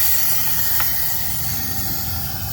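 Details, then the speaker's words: Mazda 3 2.2 Skyactiv diesel after carbon cleaning, engine off, leak-down test: steady airy hiss of air escaping past the intake valve; a massive leak, with a cracked intake valve suspected. "No, we can't see anything because it's pressing back that Fairy liquid or whatever he sprayed down there, but there is a massive leak."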